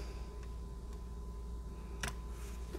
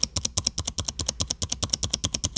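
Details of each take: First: Dell XPS 9570 laptop spacebar after reseating key and stabilizer bars to fix a squeak: a few crisp clicks over faint hum, no squeak; normal quiet spacebar after repair. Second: Dell XPS 15 9570 spacebar recorded with the microphone near the keyboard; quick run of key clicks, each with a sharp high squeak from the right side, not on every press; dry spacebar stabilizer pivot.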